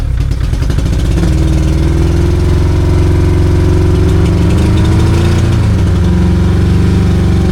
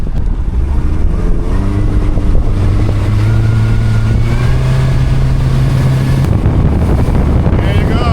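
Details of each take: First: 2002 Yamaha 90hp carbureted outboard, sat two years, low compression on one cylinder: steady busy idle held high around 1000 rpm and not dropping; one leaking carburetor keeps it from idling properly. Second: 2002 Yamaha 90 hp outboard, after sitting two years, all four carburetors synced, on a planing run reaching 33-38 knots: strong steady drone climbing slightly with speed over wind and water; running healthy.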